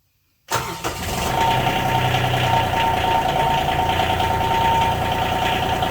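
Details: 2019 John Deere Gator XUV 865R diesel, first start after replacing the burned synchronous drive belt (about 600 miles): cranks and catches at once, then settles into an even, steady idle with no knocks or misses; healthy.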